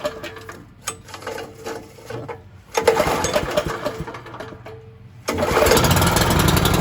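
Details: Echo Bearcat chipper model 70180, bought cheap with a rotted, leaking fuel line, test-started with a pull start: some handling, then the small engine cranks, catches and settles into a fast, even buzzing run; starts and runs normally.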